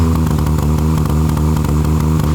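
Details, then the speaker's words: Engine misfiring under load and unable to gain speed: an engine drone broken by uneven pops and stumbles. Such misfires are generally coil pack or plug related. "It has a bad misfiring issue, and anytime under load, misfires and won't gain any speed."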